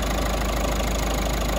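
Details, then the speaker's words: Peugeot 3008 1.5 diesel after the repair for a ticking noise at idle (cam box and timing chain replaced; the chain was near breaking): steady, even idle with no tick or knock; sounds healthy. "she starts and runs and sounds quite good to me sounds sweet running the finest there"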